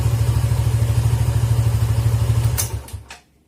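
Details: Suzuki GSX motorcycle whose stumbling or near-stalling on closing the throttle was traced to a dirty idle speed control (ISC) valve, fixed by cleaning it. Even low thumping idle at roughly ten beats a second, steady with no stumble, until switched off. Normal idle.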